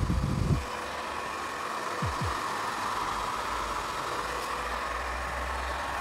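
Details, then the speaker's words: 2006 Crompton Greaves Mini Star-2 pump, 0.5 HP, 2780 rpm, 220 V motor, after repair with new SKF 6202 bearings, running unloaded with the mechanical seal not engaged. Smooth even hum and steady fan whir, no rattle or grinding; normal running. "so now the pump is ready so this is the pump let's start it so it is rotating nice and the output is also means from this motor the air output is also very good"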